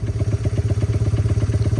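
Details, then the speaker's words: 1978 Honda XR75, unused since the late '90s, after carb tuning and new exhaust and air filter: crisp, even single-cylinder thumping at a steady fast idle, no misses or rattles; runs smooth, normal idle. "Run nice and smooth, and took it for a rip down the road, and it runs fantastic."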